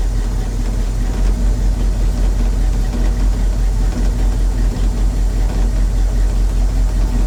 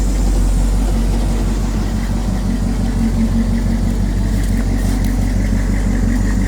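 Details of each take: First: 1983 Chevy C10, 350 small-block V8, during tune-up: low loping idle with an uneven lump about every half second because two spark plug wires were crossed; misfire from crossed spark plug wires. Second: 1983 Chevy C10, 350 small-block V8, after tune-up and correcting crossed plug wires, turndown exhausts: deep even burble at steady idle, no misses or knocks, running clean; normal idle.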